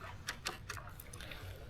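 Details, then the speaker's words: Inflatable kayak paddle shaken: a few sharp, light clicks about every fifth of a second as loose ferrules move in the shaft joint hole, a rattle felt as hand shake when paddling. "It's in that joint there. The ferrules are moving around in that hole there."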